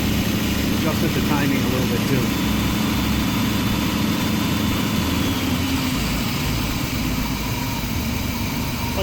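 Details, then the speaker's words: Circa 35-year-old Chevy RV engine just started after cleaning up the AIR system and vacuum hoses: steady even idle about 800–820 rpm, 19 inHg vacuum, soft regular pulse, no knocks or misses; healthy. "okay 19 inches of uh mercury there not too shabby uh running about 800 rpm 820 rpm maybe"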